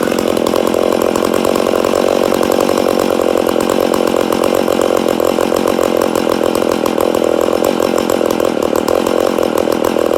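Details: Rebuilt McCulloch Super Pro 80 chainsaw, first start after rebuild: fast, slightly unsteady rasp that hunts a little; owner suspects an air leak somewhere.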